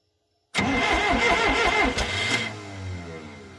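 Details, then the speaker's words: 440 skidder diesel after a DIY injection pump rebuild; cranks at a steady beat with irregular puffs and almost starts but kicks out. Owner suspects air from unbled injectors, a backwards transfer-pump check valve or wrong timing; cause unconfirmed. "It just kicks out. Listen, it'll crank, but it almost starts"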